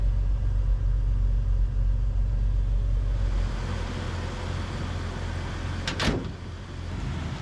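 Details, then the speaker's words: 1998 Jeep Wrangler 2.5 manual after tightening loose parts: low uneven wavering rumble, check engine light back on, crank and O2 codes read; rough running, MAP sensor suspected, unconfirmed. "Check engine light back on. Yeah, well, start running that rough. I think. Mm-hmm. That could be the map sensor."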